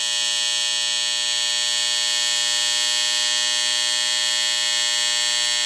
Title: Hair Clipper Disturbingly Loud Noise Explained.